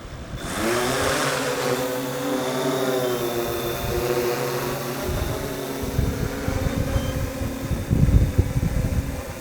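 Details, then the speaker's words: Yuneec Typhoon Q500 4K quadcopter spooling up and hovering in some wind: motors rise to a low, even hum, very quiet and low-pitched compared with a Phantom or Inspire because the big props turn slowly; a healthy hover. "right first thing is this thing is very quiet and very low pitched compared to the Phantoms and even compared to the Inspire actually it's those big chunky props revolving relatively slowly"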